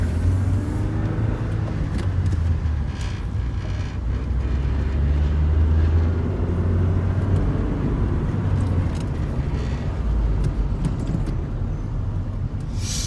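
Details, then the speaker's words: 2001 Saturn SC2 after Seafoam carbon cleaning and throttle body and IAC valve cleaning, formerly idling near 2,000 rpm: steady settled low idle without hunting; idle now normal. "while responses after cleaning that out idle seems to be a lot better"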